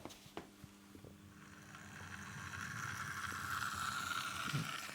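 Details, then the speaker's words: Bachmann LBSC Thomas model locomotive, first run straight from the pack: thin rising whine with scattered ticks as it gets going, far louder than a smooth mechanism should be; hoped to ease as it runs in. "oh sounds a bit tracked alike blimey listen to that"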